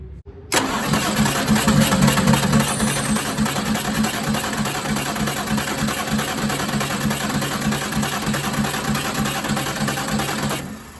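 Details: Detroit 6V92TA diesel in a 1959 Plymouth Belvedere, after starter refit and oil flush: steady starter cranking at about three compression beats a second for ten seconds with no clear catch; cranking without starting.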